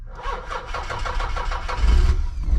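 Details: Nissan 300ZX convertible, usually hiccups and slow to start, after starter power wire reconnected: short even crank of about eight pulses catches quickly and rises into a strong idle.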